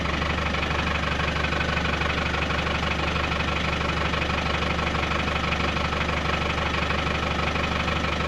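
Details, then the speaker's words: Land Rover pickup after exhaust work, with cherry bomb silencer: steady, even idle with low exhaust burble, no rattles or knocks, sounds as it always used to; normal idle. "Sounds alright to me. Sounds like it always used to, actually."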